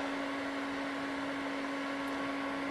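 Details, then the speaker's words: HP 6002A 0–50 V bench power supply after cooling-fan repair, powered on; smooth, steady single-pitch hum with no scraping, rattle or wobble, fan spinning freely and healthy. "all right get it all back together let's power it on and see if it's fixed so far so good sounds like a fan instead of death"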